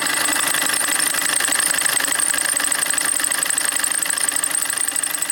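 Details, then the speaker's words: Opel Corsa D 1.3 CDTI diesel running: thin steady high squeal that never changes pitch; owner suspects the accessory belt, unconfirmed. "t's um den Corsa wie es in dem Titel schon heißt OP Corsa quietscht hat's nun auch uns erwischt dass der Corser ein ziemlich störendes quietschendes Geräusch von sich gibt"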